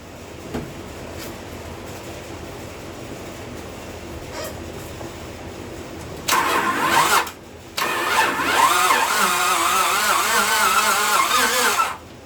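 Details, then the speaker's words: 1998 Honda Civic 1.6 VTEC that stalled on the highway and was towed in: starter turns slowly and laboriously in two strained bursts without catching; dragging badly from lack of oil. "Yeah, you can hear it's dragging real bad. I'm gonna put some oil in it."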